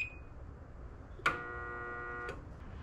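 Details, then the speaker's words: Liftmaster opener after replacing 45ACT logic board, during travel-limit programming: sharp click, steady electronic tone about a second, another click, no motor run; door not travelling, owner suspects travel setting or travel module. "sounds like it's not traveling. Let me try something else here. So it's learning something, but it's just not correct."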